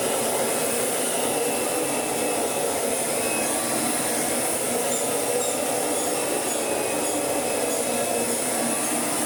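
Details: Kirby Sentria 2 vacuum after full strip-down, cleaning and restoration, switched on for carpet shampooing: steady high-pitched motor roar with even airy rush, no rattles or surging; vacuum motor running normally.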